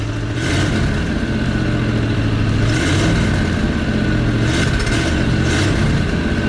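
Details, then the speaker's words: 1989 Ford Bronco just started on jumper cables, idling high: engine revs unevenly, breaking up with ragged pops and stumbles as throttle opens; sputtering, will not respond to throttle, cause unknown, fuel seen leaking. "Oh, it's sputtering. You hear that? We gotta fix that. That's been the main issue I've been having with this thing, is it won't respond to throttle."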